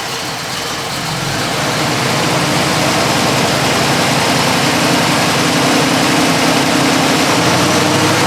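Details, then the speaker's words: 1968 Chevrolet Camaro, 350 small-block V8, 700R4 automatic, aluminum heads, exhaust exiting either side of the rear springs: deep, steady burble through loud exhaust, even beat, no knocks or misfires; healthy idle. "All in all, right now, what we're going to do is drop it down, start the engine, let you hear it run."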